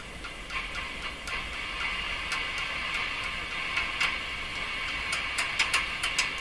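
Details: Hallicrafters S-40A shortwave receiver, same effect on every band: sharp taps set off a warbling, gobbling howl in the upper midrange; microphonic oscillation suspected from tuning capacitor plates rubbing or a contact issue.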